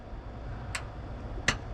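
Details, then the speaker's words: 1979 GMC C15 radio, single top-dash speaker, key on: two sharp isolated pops over faint hum with no program sound; owner thinks amplifier probably works and it likely needs internal cleaning. "when you turn this radio on i'm not sure if you can hear that but the speaker it's got a single speaker up in the top of the dash and it pops"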